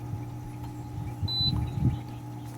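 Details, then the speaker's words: Working Coleman SaluSpa unit, heater switched on: low steady hum under handling noise, never wavering; pump starts and runs normally, unlike a unit with no hum or grinding that shows error E02. "as you can hear from this working egg you can hear the pump come on notice the hum of the pump"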